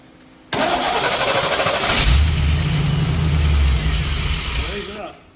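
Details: 1982 Jeep CJ-7 with a 1987 GM 350 TBI 5.7L V8, after distributor replacement and electrical repairs: brief whirring crank, then it catches and runs steadily; an exhaust manifold gasket leak clicks and timing is still unset.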